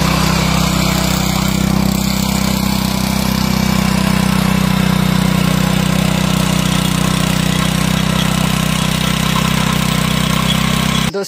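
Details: Power tiller single-cylinder engine just after carburettor cleaning, started on choke: holds a fast, even beat for ten seconds without surging or dying; runs healthy.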